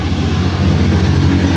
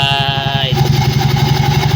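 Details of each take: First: Engine at idle with a rapid, loose clatter/knock over the drone from a worn pulley bearing; knock gone after bearing replaced. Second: Engine after replacing a bearing that had caused a knocking clatter: even, steady idle with no tapping or knocking, the knock is gone and it runs smoothly.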